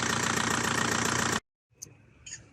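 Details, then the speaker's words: Diesel engine after a cylinder head job and corrected timing: even, steady clatter with a regular beat and no knocking for over a second before shutdown; normal, healthy sound. "هذا هذا الصوت الطبيعي اع لدي هذا الصوت الطبيعيع لدي بوان صحيح"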